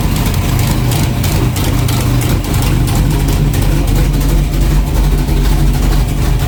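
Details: Freshly built low-compression 383 pump-gas street engine (about 600 hp), just fired up before dyno, heard outside: deep, loud, lumpy V8 idle with steady beat, no knocking or ticking; sounds healthy.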